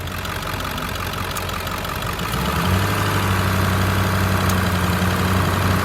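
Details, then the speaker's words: 2003 Ford F-550 XL, 7.3 L diesel, 129,152 miles, warm after about 30 minutes running: smooth steady idle clatter, then clean rise to higher even drone on rev; engine sounds great, normal. "Engine sounds great. I'll rev it up a little so you can hear it. It's idling smooth."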